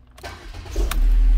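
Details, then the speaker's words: Mercedes-Benz B200 no-start fixed by replacing bad vacuum pump relay: fuel pump primes, short crank, then it catches and settles into steady even low idle; clean healthy start. "oh yeah i hear the fuel pump prime it's going to start"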